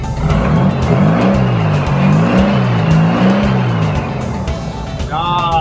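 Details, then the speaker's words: Type-1 VW Bug flat-four just after adjusting all eight valves, given a few revs to listen for knocking or tapping: it rises and falls smoothly with an even beat, no tapping or knocking; sounds healthy. "now we're just going to give it a little rev listen for any knocking or tapping"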